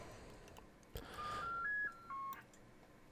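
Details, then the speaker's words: Homebrew vintage 7-tone CB roger beep board, bought faulty in a job lot, with one IC faulty. After much tinkering it now sounds crisp: a clean, quick run of distinct stepped electronic tones. It works properly. "thousands of tear later now it sounds a lot better it sounds crisp and"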